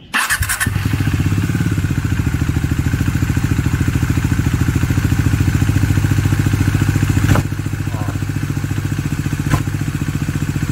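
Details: Bajaj Dominar 400 motorcycle with under 1000 km, steady idle: quick even pulsing beat with odd mechanical rattle; clutch pulled in to test for difference, strange oil behaviour noted; abnormal engine noise, source still under investigation.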